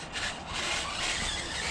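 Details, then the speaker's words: RC truck with 4000 kg-rated motor on 2S battery, part throttle outside: high, scratchy squealing over the small motor's whine, no cogging; something in the driveline dry or binding, owner may inspect diffs, source unconfirmed. "so it seems to be running all right besides the squeakiness"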